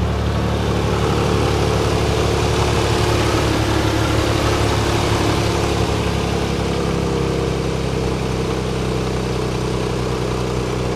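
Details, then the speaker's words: Nissan 300ZX V6 idling steadily and evenly after the misfire and power-loss problem was fixed, sounding much smoother than before. "it really is running better though honestly it's just a much smoother sound"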